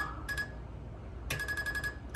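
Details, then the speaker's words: 2022 Icebear Maddog Gen V scooter after converting from the vacuum fuel pump to an electric fuel pump kit; quick bursts of bright chirps over a low idle as the pump runs: normal electric fuel pump chirp. "then on the videos it makes like this chirping noise when you turn it on"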